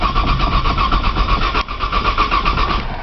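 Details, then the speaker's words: Cold 1995 Nissan Maxima, 210,000 miles, push-button start, in snow, pedal lightly fluttered; owner suspects a bad sensor: steady cranking chug about four per second with starter whine, a brief dip midway, never fires. Crank, no start. "just trying to crank this thing man you Cate your pie jump I think it's got a sensor sensor bad or something"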